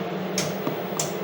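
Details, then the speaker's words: Data East DECO Cassette System arcade board set tested in the cabinet while trying to play Burger Time: two sharp clicks about half a second apart over a faint hum. The coin lockout fires as the board keeps resetting; several games will not boot. "and now that i could hear the game reset because i could just hear the uh coin lockout mechanism trigger so something is not right"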